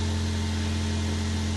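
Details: Honda Civic Sport EP2 at idle in neutral, just started after radiator, thermostat, spark plugs, coil pack, battery and expansion tank replaced, heater on to circulate coolant: steady even hum, constant low drone, no knocks or misses; normal idle.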